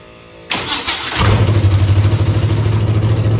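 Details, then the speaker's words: Camaro with Holley EFI 5.3 LS V8 at cold start: cranks, catches, then settles to a lumpy idle pulsing about three a second; cylinder eight suspected, unplugging its coil changes nothing; wideband AFR sensor also suspected. Misfire cause unconfirmed. "eight eight is a little weird it when I unplug the coil it doesn't sound no different but there's still some"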